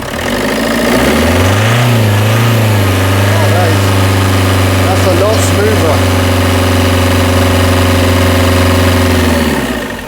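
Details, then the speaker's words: Berlingo diesel idling after repairs at a diesel specialist, having run poorly for almost four years: steady, smooth low drone with no stumble or misfire, no air in fuel lines, no boost leak though an exhaust leak remains; normal idle. "No it's smooth as anything. No massive amounts of air pouring through all the fuel lines."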